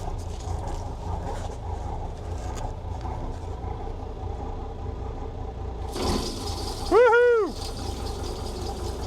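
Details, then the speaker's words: Volvo Penta TAMD 71B marine diesel, unrun 10 years in a partially sunk abandoned boat, first run, put in forward gear with props turning: deep, even rumble holding steady, no knocks or big rumbling; sounds healthy, bearings still to be checked. "There's no there's no big rumbling noises."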